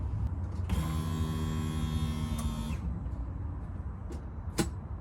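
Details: Golf Mk4 GTI after fuel filter replacement with genuine VW part during service: key on, steady electric whirr about two seconds then stops, engine not running; fuel pump priming normally, no leaks, holding pressure.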